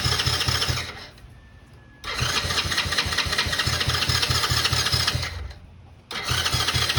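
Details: 2009 Coolster 125cc four-wheeler (Honda-clone engine), stored 9+ years: quick, even starter chugging in roughly one-second bursts with pauses, never catching; cranks but won't start. Debris was later found in the carburetor.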